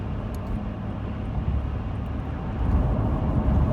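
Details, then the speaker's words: 2017 Toyota Sienna, 5,000 miles, under a month old, in-cabin at highway speed on a calm day with windows up: steady deep roar and rumble like the AC running, excessive cabin wind noise, cause not pinned down; quiet when stopped. "You will hear the noise as if the AC is on, and it's really excessive noise."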